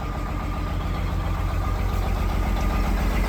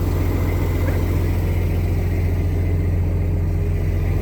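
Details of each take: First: Detroit diesel truck, first start after sitting 11 years after ECM issue: rough idle with regular heavy stumble about four a second, missing like crazy; engine position sensor not reading properly. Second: Diesel truck after sitting 11 years, cleared up: steady even low idle, smooth rumble, no knocks or misses; good oil pressure, airing up, airbags rising, some air leaks noted.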